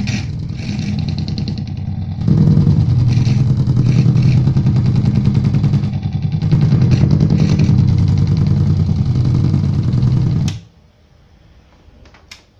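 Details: Platinum Pro Audio Sultan MA-350R power amplifier: a steady low putt-putt pulsing about three times a second, like an idling engine, from the amp; motorboating fault.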